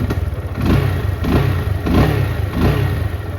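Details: GPX Raptor 180, 2021, about 8,000 km, stock exhaust: four clean throttle blips rising and falling smoothly back to a steady idle, no knocks or rattles; engine and exhaust sound healthy.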